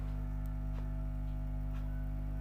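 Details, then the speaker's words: Homemade 3773 audio amplifier board with no earth ground connected: loud, constant low mains hum with steady buzzing overtones that never change; caused only by the missing earthing, fixed by connecting an earth ground. "ঠিক আছে friends, দেখতেই পাচ্ছ যেমনটা এই অ্যাম্পলিফায়ারটা এই আর্থিংটা পাচ্ছিল না, তার জন্য এরকম হচ্ছিল, তাছাড়া আর কিছুই না।"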